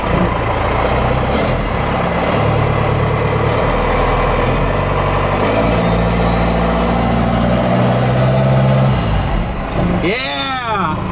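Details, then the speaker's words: Ford F-150 with swapped Cummins 6BT diesel after front tank fuel system work, not yet warm: deep, lumpy six-cylinder idle shaking the truck, faint high turbo whistle above it, no smoke; normal idle with turbo whistle. "turbo whistle it's not smoking today it's good sounds like a baby for uh 6bt"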